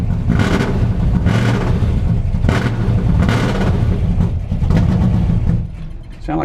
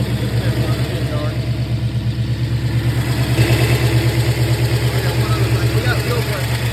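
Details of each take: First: New 481 engine in a truck, started cold on a cool day: deep V8 idle surges about once a second, then sags and nearly dies. Low fuel pressure; the front carburetor was flooding over, floats suspected. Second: Newly installed 481 engine in a truck on test run, after fuel pressure was adjusted for flooding and running-out-of-fuel problems. It fires up and holds a steady, even low idle with no stumbling or surging; normal idle.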